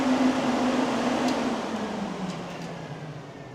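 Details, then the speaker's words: '66 Dodge Coronet with a Gen 3 Hemi swap, electric cooling fans powered up by probing a wire: an even whir and steady hum that slowly drops in pitch. The fans are running strongly and normally. "I don't know if you can hear it or not, but those fans fired up."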